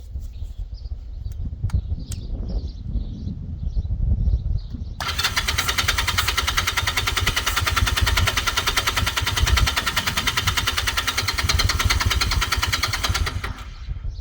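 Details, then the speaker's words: 1980s Honda motorcycle, sat about 5 years, started on a jumper pack after carb cleaning: low uneven thump, then catches and settles into a steady even-firing idle; starts and runs cleanly. "Uh some more junk had made its way through, so I also flushed out the tank to make sure everything was spotless inside there. And after doing that, it's been running beautifully ever since."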